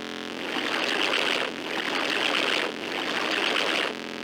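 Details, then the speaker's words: Creative Sound Blaster Pro 2 (CT1600) card: loud hiss swelling up and down, no FM music, only thin digitized sound under the noise; speaker noise. "I don't know how it's supposed to sound, to be honest, but there is definitely something with the noise in the background."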